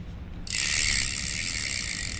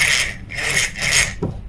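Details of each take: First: Daiwa 1000X fishing reel, Japanese-made, after repair of a grinding sound (loose cross-wind block screw hitting the gear): light, even whirr with fine ticking when cranked, no grinding or catching; smooth reel rotation, noise gone. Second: Daiwa 1000X spinning fishing reel, Japanese-made, turned by hand at initial inspection: a strong, rhythmic, dry rasping grind with each handle turn, rising and falling with spool oscillation, from a loose cross-wind block screw catching the gear.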